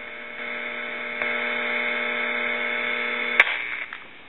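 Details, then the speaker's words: Harris TS22 lineman's buttset on monitor mode with no line feed connected: a steady buzzy hum holds for a few seconds, then a click cuts it off; normal behavior with no feed. "loud and in with a few minutes it'll shut down because there is no feed"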